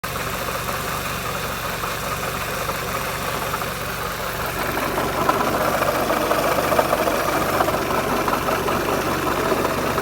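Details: Peugeot 206 2.0 16v: busy engine with fast rhythmic tick over the running note, louder as revs rise; ticking engine noise, owner suspects exhaust manifold, not confirmed.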